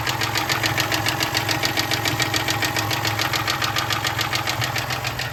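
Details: 1996 Toyota Tacoma 3.4L 5VZ-FE V6 at low idle with a sharp, steady metallic knock about 105 per minute and very low oil pressure; rod knock.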